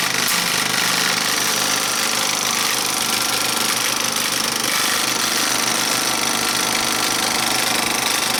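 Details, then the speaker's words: Bell & Howell 2575 16mm Filmosound projector with cracked nylon lower-sprocket drive gear and worm gear, running under load: fast, even mechanical chatter, three to four beats per second, no grinding or knocking. "No noise in reverse at all. And under a load, it doesn't really, it doesn't seem to be hurting it."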